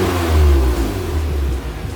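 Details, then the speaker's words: 1991 Acura NSX track car with a J-series V6 swap on an AEM V2 standalone ECU, after the mechanical idle adjustment: revs blip, then drop smoothly to a steady idle around 780 rpm, 50–60 rpm below target. "Yeah, that was pretty nice right there. It came down to like 780 now, so only 50 or 60 RPMs below Our target."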